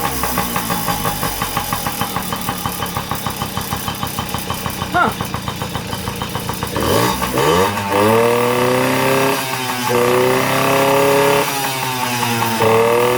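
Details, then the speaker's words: Yamaha PW50 two-stroke after flushing, fuel on, choke on: fires and settles into steady even popping, revs up cleanly and drops back smooth; running healthy, no carburetor rebuild needed. "well guess we don't have to get in the carp here after all"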